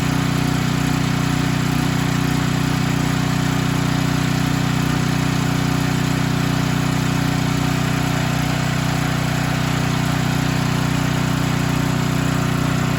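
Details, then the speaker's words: Storm Responder generator with Nikki carburetor after float and needle repair and spark plug install, warming up: steady even low hum with smooth regular beat, no misses or surging, no leaks. "i don't see any leaks so we're gonna continue okay and we're back it's fired up"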